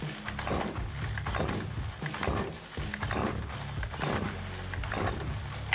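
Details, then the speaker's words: STIHL KM 56 RC-TC Kombi engine brought in as a no-start, primed, on choke then choke off: repeated rasping recoil pulls, never catches; no-start. "That sure enough does not. Turn the choke off. Give it a few more pulls. Nothing."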